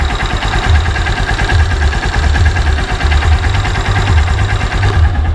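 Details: Honda Supremo with heavy cargo sidecar, about 2 years old, used almost daily for hauling, broken in properly: steady even low thump at idle, no knocks or rattles; healthy single-cylinder idle.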